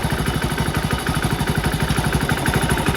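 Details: One-year-old Hero HF Deluxe BS6 after tappet setting, clutch plate change and service that fixed its engine noise. Single-cylinder thump at a steady idle, even exhaust pulses with no valve ticking; sounds healthy.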